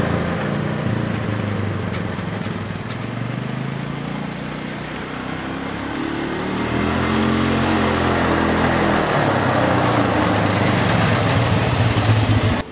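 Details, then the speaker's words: Polaris Sportsman 400 after ECM bypass (fault: fan ran with key off): catches, settles into steady even run, smooth rev, no knocks or misses; drives well and keeps cool. "right there you guys go Player Sportsman 400 ECM bypass runs the drive is good it's keeping cool"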